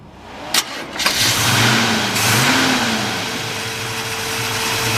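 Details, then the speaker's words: 1957 Chevrolet 210 with a 454 big-block, headers, MSD ignition, Edelbrock manifold and carburetor, and an electric fan: brief cranking, quick catch, throttle blips, then a smooth, steady idle with no misses. Normal healthy startup. "yeah sounds good nice nice little Torquay big block there"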